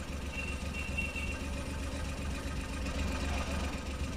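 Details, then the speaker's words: 2014 Suzuki Every, three-cylinder, check-engine light blinking, code P0301: low lumpy idle with recurring stumble as cylinder 1 drops out; injector 1 pulse intermittently lost, traced to leaking valve seal inside engine. "अब engine का sound आपने देख लिया लग रहा है इसका cylinder काम करना छोड़ दिया"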